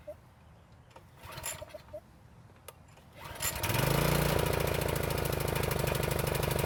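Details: County Line tiller that wouldn't start after storage with ethanol gas, after repair and fresh 100% gas with the choke on: a couple of pulls, then it catches and settles into a steady, even buzz; runs well.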